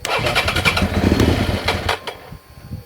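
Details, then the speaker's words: 2003 Suzuki SV650 with a recently fitted new fuel pump; the engine fires, runs ragged for about two seconds, then stumbles and dies while the pump is heard running; owner suspects the pump dragged debris into the injectors, clogging them. "Cuts out. Cuts out. You can hear the fuel pump going. So, I think what's happened is it's dragged a load of rubbish into the injectors."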